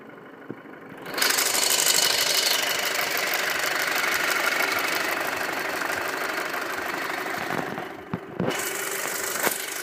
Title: 2.0T FSI ticking noise